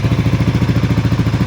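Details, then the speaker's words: Sniper 155 VVA after timing chain tensioner replacement: even, quick pulsing idle at steady revs with no ticking or rattle from the top end; tensioner was the noise cause, now back to normal and quiet. "So ito lang pala yung problema, yung kanyang tensioner. Kaya may ingay kanina sa unang part ng video natin. Yan, bumalik na sa dati at tahimik na."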